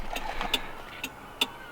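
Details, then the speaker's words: Volkswagen Rabbit Pickup at idle: sharp flasher clicks roughly every half second; left indicator flashes on-off slowly, audibly, instead of one filament staying lit while the other flashes, a faulty slow turn signal. "But this is just on, off, and the flash is really slow, that you can even hear it."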